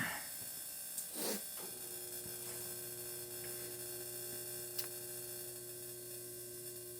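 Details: Dyna-Glo Pro 135,000 BTU garage heater after a tune-up kit with a new filter, cold start: a low steady hum with a constant mid tone after the start-up rush; heater firing and running smoothly.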